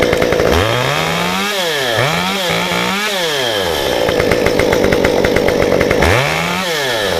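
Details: Stihl 193T climbing saw with muffler mod, ~8–9° timing advance, 93 non-E fuel, 16-inch bar, PS3 .050 full-chisel chain, cutting a log: high scream bogs smoothly into the cut and climbs back cleanly; pulling strong, healthy under load.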